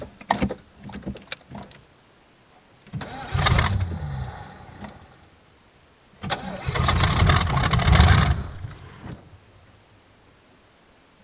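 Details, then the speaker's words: 1986 Oldsmobile Cutlass Supreme, 305 Chevrolet V8, cold start after 60 days parked, battery recharged: two long bursts of slow labouring cranking, about four beats a second; prolonged cold crank, then it starts; running out of fuel briefly suspected. "Might have ran it out of fuel. No, it sounds like it's running to me. Well, that was a cold start, but it's she's a runner."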